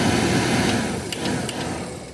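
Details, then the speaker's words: Porsche 914 heater blower just replaced after the old blower motor broke, tested on the car: a steady whirring fan hum with a faint rattle over the engine; it works, with no air leaks, but is a little noisy. "I should be able to kick this over and the blower will go on. Blower's on. Looking good. No air leaks."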